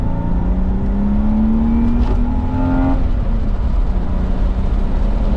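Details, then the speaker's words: BMW E36 328i after fitting a full stock exhaust, driving with windows down: smooth, quiet engine note climbing under a pull, no knocks or rattles over road noise; normal acceleration, with some interior suspension clunks noted. "for now windows down i'll give you guys a nice a nice pull it's underwhelming because you can't even hear anything but"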